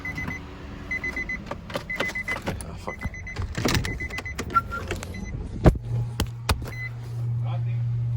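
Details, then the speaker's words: Nissan 350Z Nismo at key-on before a start attempt after wiring work: chimes and clicks, then a steady low electric hum holds; fuel pump priming normally (battery later found dead). "all right all right her fuel pump turned on um yeah no now we're just going to start it and see what"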